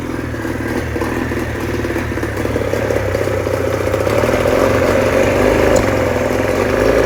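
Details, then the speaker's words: 1989 Johnson 40 hp outboard running unevenly, clattering with a loose, stumbling beat as it builds speed, then stopping; owner suspects a misfire, not confirmed. "So, that was my 1989 uh Johnson Tracker uh 40 horsepower uh outboard. Um I'm just trying to figure out what's going on. Is that like a misfire or I don't know."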